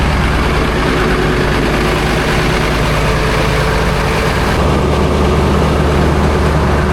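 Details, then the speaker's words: Diesel cold start at 18°F, glow plugs never serviced: deep, uneven, lumpy idle clatter like several cylinders not firing cleanly; owner suspects about half the glow plugs work. "I'd say she still has half of her globe. plugs at least."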